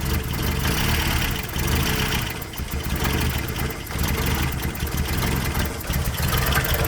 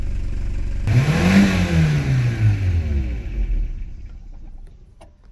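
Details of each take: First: 1990 Toyota Pickup/Hilux 22RE after engine reassembly, once warmed up: idle lumps and stumbles with uneven dips; owner suspects a temperature sensor sending bad readings upsetting the mixture, not the minor injector leak. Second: 1990 Toyota Pickup/Hilux 22RE after engine reassembly and a fix that got it starting right up, idle seems low; fires, revs up smoothly and falls back cleanly, no stumble or knock: normal running.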